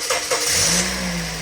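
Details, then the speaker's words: Toyota Vios 1.5 J 2013, 134,000 km, one owner, stock engine bay: brief crank, engine catches cleanly and settles to a steady, even idle with no knocks or misfires; runs smooth. "สตาร์ทนะครับเมื่อกี้เปิดปิดไมค์ก่อนให้ฟังเสียงว่าเดินเรียบสูทนะครับ"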